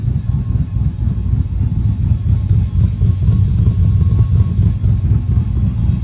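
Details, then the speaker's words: 1937 Diamond T with big-cam V8 and chop tune reinstalled now that the converter no longer rattles when it chops: deep loping idle, uneven chop about four beats a second, no metallic rattle underneath, healthy. "so well I put the chop tune back in since now the converter doesn't rattle when it chops so listen to this"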